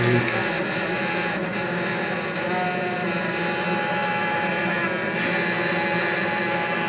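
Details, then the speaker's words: Viessmann Vitopend 100 A1JB gas boiler, three-way valve: a steady low hum with a faint tone that shifts as the valve is moved. The hum stops when the valve is pressed and returns when released; cause unknown before disassembly and cleaning. "В общем, гудит трехходовой клапан."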